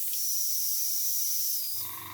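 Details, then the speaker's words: New Gaahleri Mobius TG 0.5 trigger-grip airbrush: a sharp, steady air hiss that shifts and fades as the air control knob is turned; with the knob wound right in there was no air, so it is wound back out. "you can hear that that's changing the flow of air that's what that was I had that W right in so we got no air"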